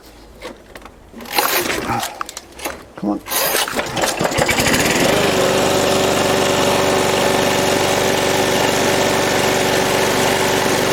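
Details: Lawn mower single-cylinder engine during repair/overhaul, with a lot of compression and no brake: after a few pulls it catches and settles into a steady, even drone with clean buzz; running healthy.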